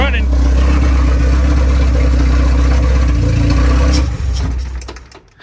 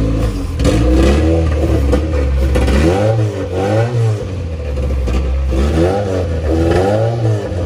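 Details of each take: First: Honda B20 engine in an EF Civic build with an OBD0-to-OBD1 conversion, first runs. A deep, uneven idle pulse dies after a throttle blip. Owner suspects the unconnected MAP sensor or a vacuum leak. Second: Honda EF Civic with a B20 swap, OBD0-to-OBD1 conversion harness and P28 ECU, running for the first time after wiring fixes with the MAP sensor wired up: it revs up and down evenly with no knock or misfire, despite a fuel leak.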